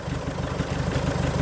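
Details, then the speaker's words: Diesel car at tick over, warming up with the DPF removed for cleaning, exhaust open at the downpipe only: loud, raw, rapid low chuffing at steady idle with no muffling. "as you can hear it's just a downpipe there's nothing else on there"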